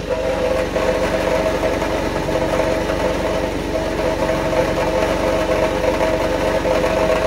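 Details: 1991 Mercedes 190E at steady idle: fast, even metallic rattle over the engine beat; lifters mentioned as filled up, source unclear from sound alone, not confirmed.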